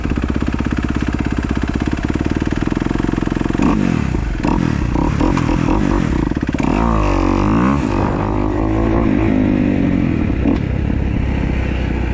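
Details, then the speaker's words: 2015 Kawasaki KX250F fuel-injected four-stroke after a valve job, done because tight intake valves kept it from starting: crisp, even idle pulses that rise and fall cleanly with throttle blips, no ticking or clatter; quiet, normal idle. "right guys 2015 feel nice and light idle's down good sounds good too all the cow sound good look through the ears it's actually nice and quiet when you're not reving it"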